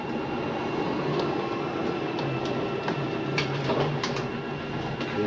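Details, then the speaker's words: Forest River Sabre 360QB slide-out retracting: steady motor rumble with scattered clicks and ratcheting. This is the slide mechanism stopping its own travel at the end, which is normal, not grinding. "every i wanted you to hear that noise it's okay to hear that don't panic nothing is grinding you'll hear that sometimes going in or out it is the slide mechanism keeping itself from going uh in or out too far"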